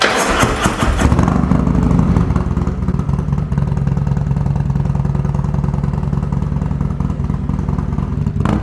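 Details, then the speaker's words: 2020 Harley-Davidson Road Glide Special, Milwaukee 8, Stage 2 with S&S 475C cam, D&D Billet Cat 2-into-1 exhaust, restarted after install: cranks, catches, settles into deep loping choppy steady idle; normal idle with performance cam. "we're gonna go ahead and start it up one more time for you guys. But yeah, what a difference this cam made."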